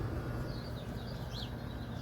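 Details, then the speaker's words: Vaillant air source heat pump running at a house, heard as a faint, steady low hum under outdoor birdsong; normal operation. "And, bro, it has air source heating. You can hear now, that's a Valiant system."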